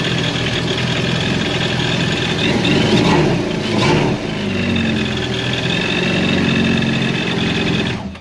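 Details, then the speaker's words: 2021 Yamaha FX Cruiser SVHO jet ski started after a couple months unused, battery reading 11.8 V, over half tank; engine catches and settles into a steady, even, smooth low-burble idle before shutdown, brief start only — normal idle. "see it definitely started this is good not gonna run it long"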